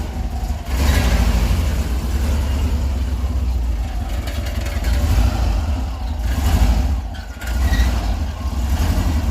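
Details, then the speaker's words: Kombi motorhome exhaust: deep, rough rumble with uneven thumps and pops, banging underneath because both mufflers are broken; the two mufflers are to be replaced. "e esse barulhinho chato que a descarga faz isso que ele vai lá trocar valeu"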